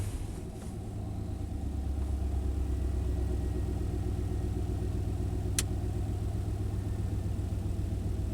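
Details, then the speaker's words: '91 Chevy K1500 V8, idle near 850 rpm after a new oxygen sensor relocated downstream of aftermarket headers: deep steady rumble, even beat, good throttle response, still in fuel control; improved but slight staircase remains. "We're still in fuel control, and it's not doing the hiccup that much at all. We're not seeing the crazy ramps up and down, up and down. It has great throttle response."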